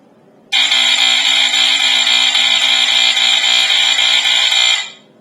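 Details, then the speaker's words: Statitrol SmokeGard 907A2 mains-powered smoke alarm, 60 Hz version, test button: loud, shrill continuous buzz for about four seconds without pulsing, then cuts off; normal test tone. "I'm not sure if I told you, but this one just has the continuous buzz. It doesn't have a pulsing."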